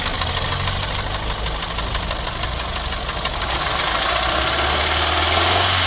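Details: Renault Clio 2 engine at steady idle with sharp, fairly regular knocks about four a second riding over it; rhythmic engine knocking, cause not yet known.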